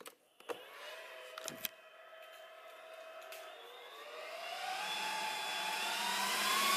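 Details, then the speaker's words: Custom sound-deadened comms cabinet switched on via battery backup side: after a few clicks, the rack fans whir up with a rising, loud tone that then begins to quieten during startup, later settling near 35 dB; normal fan noise at power-on. "So, there's a lot of noise, as you can hear there. It will get a bit quieter once, there you go, look, it's quieting down now. It's going to have varying audio levels for a couple of minutes, just whilst it starts up."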